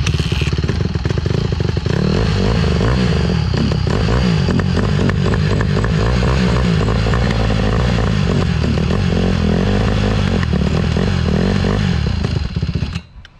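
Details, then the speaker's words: Honda CRF150R dirt bike that had sat a long time and wouldn't start, running after a carb clean and firing first kick: a loud, crisp single-cylinder bark, steady through the throttle blips with no knock or misfire. Normal running. "Definitely not a yard bike. Really loud. Not really, but. And that thing's got some power."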